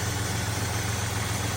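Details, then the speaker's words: Jeep Cherokee restarted after sitting five years, fixed by cleaning corroded battery terminals: steady, even idle with a smooth low pulse, quiet, no ticks or knocks; normal idle. "quiet no ticks no knocks nothing"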